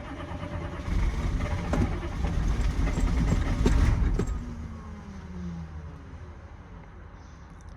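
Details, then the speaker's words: 2000 Chevy C3500 6.5 turbo diesel that shut down while being power washed: cranks steadily but won't start; wait-to-start light flashes with relay clicking. Glow plug relay suspected, not confirmed. "So, the wait to start light comes on, but then it starts to flash. And I'm not 100% sure why. See, now it's flashing. And you can hear it clicking on and off."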